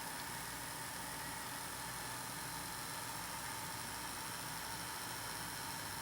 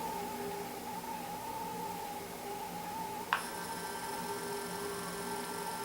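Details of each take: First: Intermountain GP10 locomotive with LokSound Full Throttle decoder, sound muted, little power applied on Digitrax layout, before CV124 change: quiet steady buzzing hum and whir while in motion. Motor hum under power. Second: Intermountain GP10 locomotive with LokSound Full Throttle decoder, under light throttle after setting CV124 to 4: only faint steady high hum, no buzz, much quieter than before the change. Quiet motor hum after fix.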